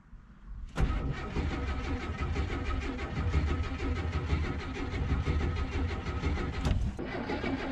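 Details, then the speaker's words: Oldsmobile Cutlass Supreme G-body after a fuel pump replacement, cranked without priming the new pump. The starter churns the engine over steadily for about six seconds without a single catch or fire. Cranks but won't start because no fuel is arriving. "I apologize cuz I'm not I process that I didn't prime the fuel pump after trying to crank it for about 20 minutes"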